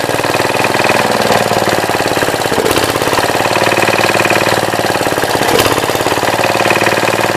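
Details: 1966 Gravely C10 single-cylinder engine after a no-spark fix, with the old arcing coil replaced by a temporary battery coil: a brisk, steady beat with sharp, even firing and no misses. Starts easily and runs healthy; still needs wiring, a fuel pump and a carb.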